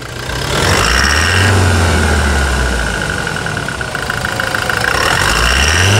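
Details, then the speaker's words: New Toyota Hilux 2021 single-cab 4x4 work truck, fresh from the dealer with about 160 km: diesel clatter settles from a brief rev back to an even, steady idle; normal, healthy new engine. "Vamos lá a melodia do motor novo da Toyota vamos lá então ó"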